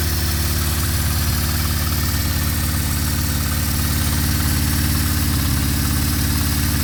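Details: 1974 Honda CB550 after timing, cam chain and valve adjustment and carburetor synchronization: steady, even four-cylinder idle with smooth low beat, no misses, knocks or hunting; carbs balanced, normal idle.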